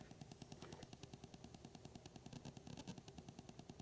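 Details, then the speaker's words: JAT501 amplifier test board at idle (60 mA bias) connected to a preamp. A low, steady putt-putt buzz pulses about twice a second through the speaker, quieting with a hand near the preamp. RF interference from a digital device in the room. "I thought there was something wrong, like a low frequency weak motor boat or something, but that's a digital sound. We're picking up something digital in the room."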